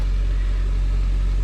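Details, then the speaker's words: 2001 Toyota Camry 4-cylinder, warm, in park, electronics and AC off, after coolant hose replacement: steady raised idle that won't drop (had reached 2500 rpm); IAC relearn, battery reset failed; high idle, cause unknown (IAC, vacuum leak, throttle suspected). "put it in park. Nope, it didn't do anything. So, something is definitely wrong somewhere."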